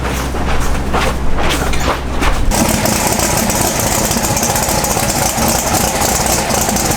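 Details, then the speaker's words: Sorceress twin-turbo Pro Mod drag car after repair of a broken or loose rocker stud bolt: catches after cranking and runs loud and even, spooled up a little, no ticking or clatter; back to normal. "We repaired it, fixed it, and we ran the car, and we spooled it up a little bit, and everything seems to be back to normal."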